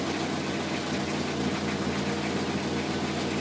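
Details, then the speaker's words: 2003 Toyota Corolla after repair of an intermittent P0301 misfire with power loss caused by a bad injector: smooth, even idle with a steady low hum and no stumbles; no misfire and it runs better. "No misfire. I think it's already fixed. Look at, it sounds better, it runs better now."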